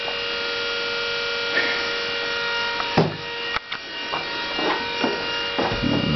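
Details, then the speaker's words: Vehicle on accessory power from a newly installed Chennic DC-to-DC converter, parked in garage: with the fan blower off, a steady, high, electric whine from the very loud power steering pump is heard over a few knocks and clicks. "turn off the fan blower and we can just hear the incredibly obnoxious power steering pump"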